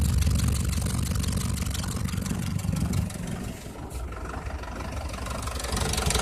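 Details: Cummins diesel idling with a steady low thud about four times a second over the clatter: a knock inside the engine.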